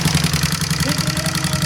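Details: Honda CBR150 hard to start: single-cylinder idle with loud busy top-end clatter over even beat; camshaft to be checked.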